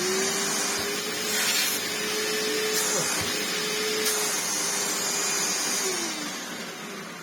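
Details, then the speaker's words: 1998 Hoover Turbopower 2 upright vacuum with replacement motor fitted, belts popping off; steady smooth motor whine at one even pitch with airy rush, no rattles or surging; normal running. "It's a shame because the motor sounds lovely. Works really well."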